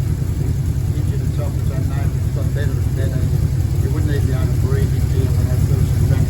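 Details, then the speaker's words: 1957 Ford F250 with 272 Y-block V8, first start after almost 30 years during restoration: deep even idle, steady low rumble, no tapping or knocking, improving as it runs; healthy normal idle. "it's idling quite well actually isn't it it gets better and the motor sounds good it's not tappity or it's not there's no knocks or anything is there"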